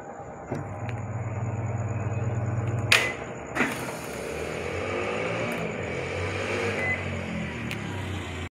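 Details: Haier automatic washing machine in spin mode that previously dropped back into rinse, restarted with the spin timer set: even motor hum with a few clicks, then a steady whir as the drum keeps spinning; spin runs normally.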